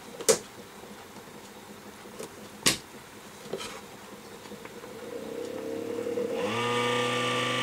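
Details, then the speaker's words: Mini dehumidifier run on a 12-volt supply: a few clicks, then the small fan spins up with a raspy buzzing whine over its hum. The fan bearing is worn out and the fan needs replacing. "yeah I think that this fan is happy it's the fan is completely hijacked"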